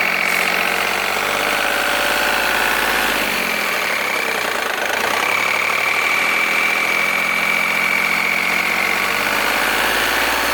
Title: Polo 9n3 raar geluid (polo 9n3 strange noise)